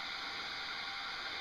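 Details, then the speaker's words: OFF! Clip-on bug repellent, battery-powered (AA), lid tricked shut: soft steady airy whir with faint high hum, not very noisy, no clicks or rubbing; normal fan running. "It's not terribly noisy, but you can hear a fan going in the"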